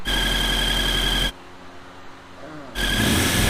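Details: Honda CRX engine running: steady high-pitched squeal over the engine that drops out briefly and returns unchanged.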